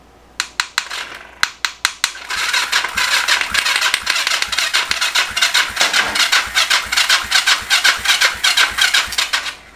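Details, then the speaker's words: Yamaha XS400 project bike revived, started about three years ago, starter cranking in a compression test, just under 150 again; a few single pulses then even beats about two and a half per second: normal, healthy cranking compression. "Just under 150 again."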